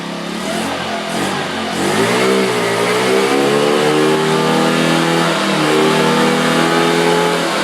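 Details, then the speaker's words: 50cc scooter with $12.99 eBay racing CDI, on Mobil 1 synthetic: revs climb quickly from low buzz to high sustained scream with no stutter or cut-out, pulling past where the stock limiter would stop it. Free revving without rev limiter. "now this is without this is without the limiter on there this is just free ready"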